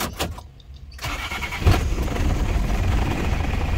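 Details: Isuzu Panther diesel after alternator repair, wiring back to standard: a brief crank, then it catches at once and settles into a steady, even idle with no knocks; the charge light goes out and voltage rises to about 13.1 V. Normal start.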